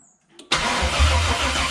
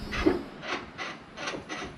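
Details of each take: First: LS-swapped LQ9 V8 in a Squarebody C10/C15 truck, checking ignition wire with test light: starter spins the engine steadily with a dull churning beat but it never fires; crank no start. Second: LQ9 LS-swapped Squarebody C10 truck after fixing a miswired ignition wire, with new OEM pedal and TAC module: key on, soft rasping whirs in short bursts as the throttle blade moves. Electronic throttle body actuating normally.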